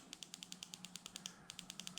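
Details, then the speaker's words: 2015 Kawasaki Ninja 300 race bike's fuel injector, stuck after months of sitting, bench-tested on battery: sharp, clean, even clicks about ten per second with one brief gap; freed up and now opening and closing normally. "and now it's clicking yep there we go so it was stuck it didn't click at first but now it clicks every time"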